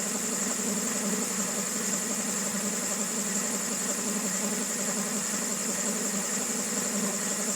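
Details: 2000 Honda Civic EX with rebuilt D16Y8 petrol engine at a noisy, rough idle with a busy clattery top end and uneven beat; owner suspects cam pulley, timing tensioner or a bearing, and mechanical timing appears dead on.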